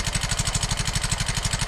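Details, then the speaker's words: Yamaha X-Ride 125 scooter, fairly new, at idle: sharp, rapid metallic tek-tek ticking from the cylinder head caused by a very slack cam chain, likely from poor maintenance; the tensioner is suspected. "Oke, yang pertama terlihat bahwa rantai keteng ini sangat kendor. Terlihat jelas bahwa rantai keteng ini sangat kendor."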